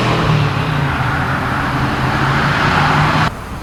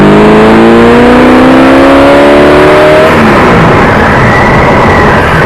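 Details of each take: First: 1979 AMC Spirit AMX, 304 V8, driven on a new Brawler carb with mechanical secondaries, replacing the Jegs carb whose vacuum secondaries never opened: strong, smooth pull, clean even exhaust note dropping off on lift; normal acceleration, carb opening fully. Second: 1979 AMC Spirit AMX, 304 V8, on a road drive, filmed by a camera: pitch climbs, drops and rises under throttle with no deeper intake roar; vacuum secondaries not opening at all, power only from primaries.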